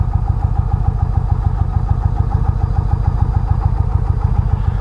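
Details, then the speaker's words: 2019 Indian Chieftain Limited V-twin, stock exhaust, warm day, idling in neutral with rear cylinder deactivation on, exhaust-mounted mic: even steady low thumping about 3.5 beats a second, change imperceptible; normal idle. "now I'm gonna hit the gas it's imperceptible that's amazing"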